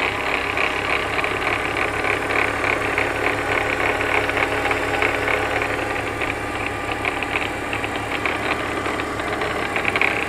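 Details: 2004 BMW E46 325xi, warm after a 15-mile drive, noise began after thermostat and water pump replacement, persisted after new tensioner and idler pulleys: steady high whirring rasp at idle; bad alternator suspected.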